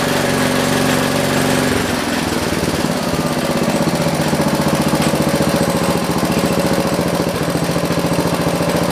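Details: John Deere 112 round fender with a single-cylinder Kohler K181 that won't throttle up; the thump settles to a steady low beat that never climbs. Governor suspected; later governor and throttle assembly adjustments fixed it.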